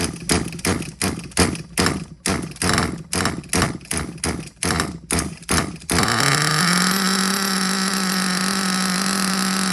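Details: Hobao Hyper ST nitro truggy, used, primed with a little fuel and still not starting on the first pull: about a dozen rapid pull-start cranks, then it catches and holds a steady high-pitched buzz; small nitro engine running normally.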